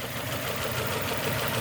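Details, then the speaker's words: 2002 Nissan Almera N16, QG18 cable-throttle engine, bucking after spark plug change: uneven, lumpy stumbling idle on only two cylinders, 3 and 4 not contributing; misfire caused by swapped ignition coil connectors. "number 4, we realize number 4 not contributing, number 3 not contributing, number 2 contributing, number 1 contributing. So right now the vehicle functioning on firing on 2 cylinders."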